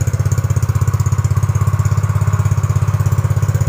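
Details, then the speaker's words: Yamaha Mio GT automatic scooter after idle-screw adjustment: quick, even putt-putt at a settled low idle, loud open exhaust, steady rhythm, rear wheel no longer spinning; normal idle. "menurunkan guys Coba lihat roda belakang berputar aja tidak ini Enggak kok enggak"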